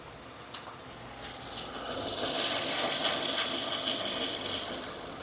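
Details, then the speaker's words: 2015 Subaru Forester engine at idle: light, fast ticking chatter about three per second over a quiet idle, intermittent and not constant with engine rotation; source not yet found, belt to be removed to rule it out. "it's like a little bit of [Music] chatter it's not constant with engine rotation which is [Music] weird"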